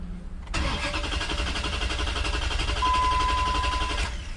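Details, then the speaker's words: 2004 Dodge Ram 1500 4x4 4.7L V8, towed in: steady fast starter cranking, about four beats a second, with no catch at all; no engine or transmission codes stored, cause found to be a bad fuel pump delivering no fuel. "just a whole lot of cranking no starting I did hook up the scanner there are no engine codes or transmission codes stored at all nothing related to a nose start issue"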